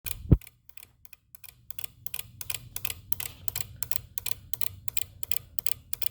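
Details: 2018 Jeep Wrangler JL, engine off with auxiliary battery hooked to a charger: quiet steady ticking about three clicks a second over a faint low hum; electrical clicking, source not yet found.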